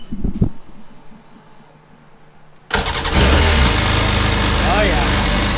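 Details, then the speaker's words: 2003 Sea-Doo RX DI, neglected and sun-sat for years, after fitting a replacement pump: fires after a short pause and settles into a strong, steady idle; earlier weird noise gone, a perfect running machine. "it's gone that is a perfect running machine that's unreal"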